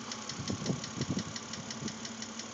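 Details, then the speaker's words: 2006 BMW Z4 3.0si at idle, about 19,066 miles: sharp, even tick about eight per second over a steady idle, a top-end knock. The lifters were already replaced with no change, and the owner hopes a head replacement fixes it; cause unconfirmed. "it was in once before to have the lifters changed to try to get rid of this knock but uh it didn't do anything as you can tell"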